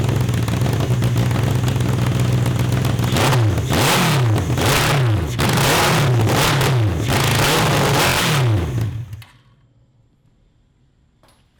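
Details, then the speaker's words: 750cc CB750 engine in a cross kart, just swapped to dual 34mm Mikuni carburetors: it revs up and down in blips, sounding flat and hesitant, then shuts off. The jetting is judged too small and too lean; lean running. "it's not perfect it's too lean it's too small"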